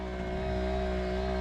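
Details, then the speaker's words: 1961 VW Beetle 6 V wiper motor on 12 V system, stopped instead of sweeping: steady even electrical hum with no rhythm, owner unsure why; stalled wiper motor buzzing. "see that's what happens here now it's stopped and it just makes this noise I don't know exactly what's going on I'm going to take it apart"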